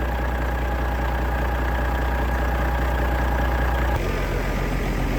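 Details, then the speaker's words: Detroit DDEC diesel truck after sitting 11 years: deep, even steady idle, no misses or knocks; runs smoothly with oil pressure, air pressure and voltage up. "Listen to that, boys. That's the old freight shaker."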